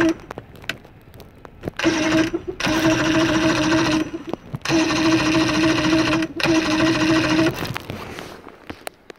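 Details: Engine cranking in the rain with spark plugs removed for diagnosis: even starter whirring in bursts of a few seconds, about three and a half beats a second, but the engine never catches; cause not yet known.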